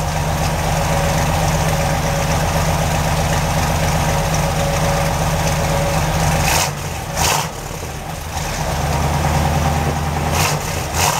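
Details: 383 stroker V8 in a Chevy truck with headers and Hooker turbo dual exhaust, not fully warm: lumpy idle holds steady, a couple of quick throttle blips, then idle drops off the high speed and settles back smooth and even.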